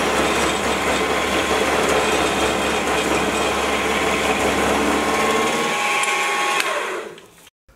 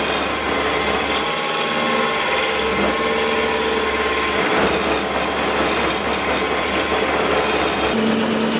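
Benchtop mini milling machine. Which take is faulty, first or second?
first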